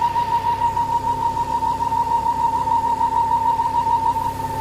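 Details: Ford Focus ST XR5 2.5 turbo with erratic idle and lean fault code: steady high whistle near 900 Hz over rough idle from the engine bay, a vacuum leak through a failed PCV valve in the oil filter/PCV housing.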